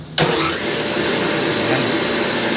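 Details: Motor pump (pump 2) after repair, replaced leaking part that was seeping oil, tested on manual then auto: sharp start then steady even hum, no rattle, surge or grinding; normal pump motor running.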